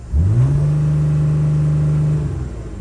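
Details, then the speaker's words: 2006 Dodge Sprinter diesel with P242F DPF ash accumulation and EGR unplugged, shaky start: revs rise quickly then hold flat, cannot reach 3000 rpm, reduced-power limiting. "so we're gonna press and drive well actually before we actually go anywhere let's see if actually we could accelerate 3000 RPMs we cannot"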